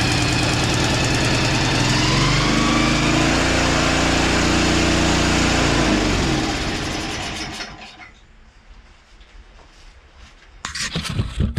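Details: Two-stage snowblower engine that sat 2 years with fuel in the tank, run on choke: rough, uneven beat that clears briefly, then fades and dies from lack of fuel. It fired right up after fresh gas was added.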